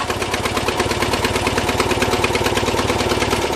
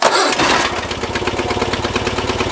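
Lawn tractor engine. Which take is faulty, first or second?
first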